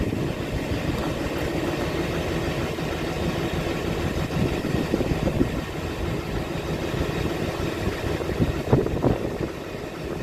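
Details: 2006 Chevy Silverado LBZ Duramax diesel with DSP5 tune, on 3.5-inch exhaust before 5-inch straight pipe install; idling after cold start, sat overnight in the 20s, now upper 50s: low, steady rumble with light clatter, no misses or knocks; healthy cold idle.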